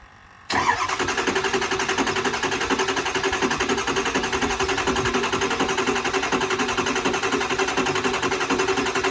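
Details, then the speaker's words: Kill Devil Diesel 600HP 6.0 Powerstroke crate engine in a Ford Excursion build with Twisted Diesel Level 3 transmission: steady starter cranking at about four compressions a second that never fires. It cranks with no start and zero injector control pressure; they question the oil level. "Well, I mean, it should be getting pressure. It's getting 0 injector pressure."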